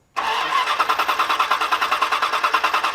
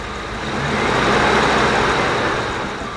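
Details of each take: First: 1994 Dodge Dakota after a new air filter and intake cleaning; five seconds of even cranking at about three beats a second before it fires and settles. Owner assumes the long crank is from cleaner being drawn through the intake. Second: 1994 Dodge Dakota after rounds of cleaner to fix rough revving; steady, even idle with no stumbles or misses, a smooth settled rhythm that sounds healthy.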